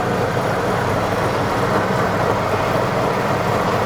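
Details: 2004 Ford Explorer AWD on a lift, traction control off, right brake wedged so power goes to the left rear wheel: a steady rough growl confirming a worn left rear wheel bearing.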